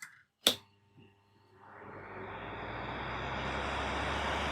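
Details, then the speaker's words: Stand fan on a newly wired triac regulator, switched to position 2 (medium): a sharp click, then a steady airy hum building and settling, a bit faster than position 1; normal medium-speed running. "আমরা এটা of করে নিলাম, 2-এ দিয়ে দেখবেন এর থেকে একটু জোরে ঘুরবে।"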